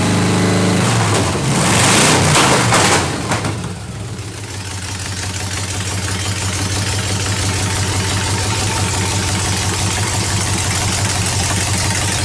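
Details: 1931 Ford Coupe hot rod swapped from a big block to a stock truck 305 small block V8, radiator not yet installed, chrome headers still to come: cranks and catches with a loud burst of revs, then a steady, even idle; healthy start.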